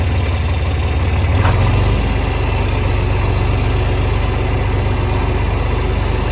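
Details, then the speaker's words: 1961 John Deere 4010 tractor with 7700 combine engine swapped in 2015, starts easily: even low diesel clatter at about four beats a second, settling after startup into steady idle; normal idle. "So I guess we'll fire it up so you can see how she runs. Pretty nice starting tractor."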